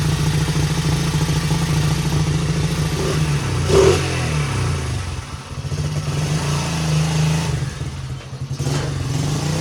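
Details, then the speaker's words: 1977 Honda XL75 single, first start without a carb clean, choke on, throttle bunged up: fairly even thumping with a couple of blips and light clatter; runs pretty good, no smoke, float bowl dribbling. "Well, I'm going to call that a success so far. Little XL75 runs pretty good for not having a carb clean."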